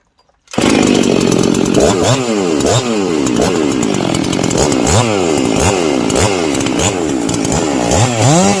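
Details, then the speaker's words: Husqvarna 261xp converted to 262xp, muffler modded, base gasket deleted, sealant at carb bolts, first start after rebuild: fires crisply, revs up and falls back cleanly with no bogging or misfire; healthy. "but this is just from start man that sounds freaking pretty good actually"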